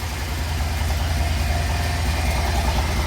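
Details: Bajaj CT100 carburettor bike back from a Ladakh trip, BS6 regulator/ECM, engine bore work done and refitted, just started: low steady idle around two hundred beats a minute, even and unbroken, running cleanly and healthy.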